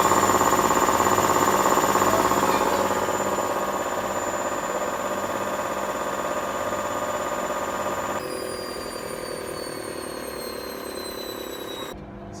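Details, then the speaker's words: Hotpoint WMA50 washing machine after new suppressor fitted, small load: steady hum with smooth whine rising into fast final spin, no knocking or scraping; normal after repair. "things going faster and faster now lights on final spin"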